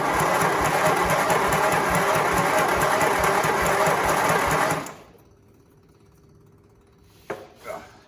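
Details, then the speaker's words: Briggs small engine with fuel pump running, on jump pack: even cranking pulses about three a second for nearly five seconds with audible compression, never fires; owner suspects it is not turning over fast enough. "I feel like it's not turning over fast enough. I don't know what you guys think, but on my end of it, it seems like it's not turning over fast."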